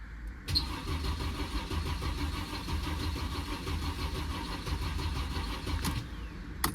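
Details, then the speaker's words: 2009 Mercedes-Benz C300 with a North Carolina flood title, fitted with a substitute module and a weak battery. The starter cranks steadily for about five seconds but the engine never fires, and no fuel pump priming is heard. Cause is undetermined. "So I did not hear it cut on. I'm not hearing the fuel pump cut"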